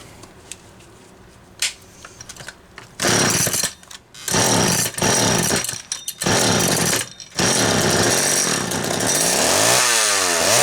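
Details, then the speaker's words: McCulloch Mini Mac 6 chainsaw, hot restart after a Walbro MDC carburetor rebuild: catches after a few pulls, then revs in uneven surges and sags. Fuel perking in the carburetor is suspected despite it pressure-testing okay, possibly with tank debris redissolving. "I think it's perking fuel, even though that carburetor tested okay. I think it's doing something funny to me, but we'll find out."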